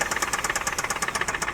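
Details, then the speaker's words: $3,000 Dubai auction car whose engine ran short of oil. Sharp, evenly spaced metallic knocks, about ten per second, over a light hum. The engine was removed and the connecting rod, crankshaft and bearings were found damaged. "So the cranking rod and the crank has been damaged."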